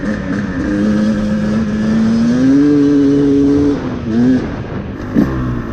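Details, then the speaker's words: 2024 Beta 250RR Racing two-stroke with a 38 mm Lectron carb, after leaning the mixture screw another half turn: revs climb and hold with a slightly blubbery, uneven edge near the top, more power but still a little rich on top end. "It felt like it has more power, but it's still a little bit rich on the top end."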